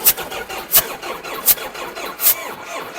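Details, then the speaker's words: Tractor: slow, labored cranking with sharp chuffs about 85 a minute and no catch, smoking heavily; hard start. Owner blames a battery apparently not charged. "Та конечно же не зарядили. Оце екологію ми загрязняємо."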